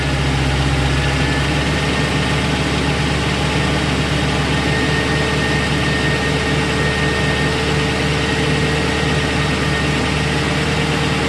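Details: 2001 Lincoln Town Car, Ford 4.6L 2-valve V8, cold idle: light, fast metallic clatter; timing chain had worn through its plastic and aluminum guides into the tensioner piston; guides and tensioner replaced.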